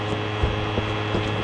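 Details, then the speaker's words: Creality CR10 V3 3D printer, about 6 weeks old: a control-box fan that has already gone bad runs loud and changes tone. It hums steadily with a buzzy edge and soft low thumps about three times a second. It is being replaced with quieter fans. "And you hear how noisy it is? This fan has already gone bad. So that's another reason why I'm doing these changes."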